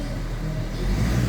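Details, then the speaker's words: 2014 Hyundai Santa Fe with push start, after a no-crank, no-start repair: the engine catches and settles into a steady, even low rumble that builds slightly with no stumble or knock, and there is no check-engine light; a clean start. "Um-start na po siya then wala po siyang check engine."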